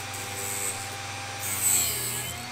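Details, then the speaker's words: Drill bit sharpener, bit in the point-splitting station: a steady, scratchy grinding that swells and eases as the collet holder is turned, the wheel still cutting normally until the grinding stops. "once you hear that the grinding stopped, then turn it around, do it again, and we are finished."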